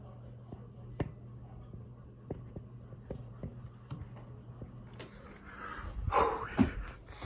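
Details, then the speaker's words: Alaska ceiling fan (black and polished brass), microphone held close to the fan motor: low steady motor hum with faint, uneven ticks, a slight motor bearing noise. "And then this ceiling fan, it does have a little bearing noise to it."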